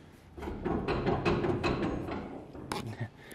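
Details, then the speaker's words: Pro Street Starfire rear with worn-out old Competition Engineering shocks, bushings completely gone: loose, irregular hollow clunks as the rear moves. The bolt is bouncing in the shock eyelet; all four shocks are being replaced. "that's just the bolt in the eyelet of the shock bushing just bouncing around"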